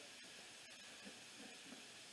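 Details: Dykon Express scooter (scrapped, free, getting a scrapyard replacement engine) with engine off: steady hiss of air escaping where the tire bead hasn't seated on the dirty rim; a ratchet strap is planned to seat the bead.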